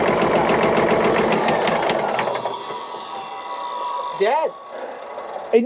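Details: Caterpillar 977L 10.5L diesel with good oil pressure, injectors being cracked: sharp rhythmic knock three or four a second before winding down; cracking number six made no change, so cylinder 6 dead though injector seems good.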